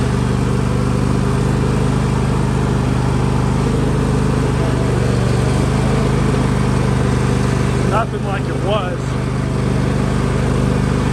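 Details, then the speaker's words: John Deere L130 lawn tractor whose hydrostatic transmission would not move, rerun after bleeding and topping off the oil: a steady low drone with only a faint transmission hum, and much more responsive. Oil was the likely fix. Normal hydrostatic transmission running. "oh wow no noise yet a little bit of noise there but it's way more responsive"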